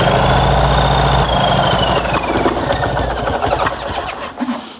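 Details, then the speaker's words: Fiat 126p (Maluch) twin on 92% denatured alcohol instead of petrol, cold: ragged uneven chug that sags and dies away; rough running on alcohol, owner hopes it will run once warmed. "ciekawe coś mu nie pasuje tam może się rozgrzeje i zacznie chodzić"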